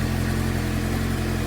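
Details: 2007 Suzuki GSX-R600 after CDI/ECU replacement, running after jumper cables disconnected, owner suspects failing stator: short burst of steady even low hum, no misses or knocks; idling smoothly.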